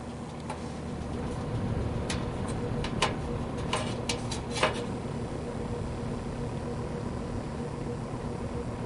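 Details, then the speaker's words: GE W22 plastic-bladed box fan, after repair of a loose shaded-pole coil that caused buzzing on low speed, now running with blade on: steady low hum, slight cabinet vibration and light rattles, no electrical buzz; normal running. "There we go. We are That might have fixed the problem. The uh cabinet vibrates a little bit."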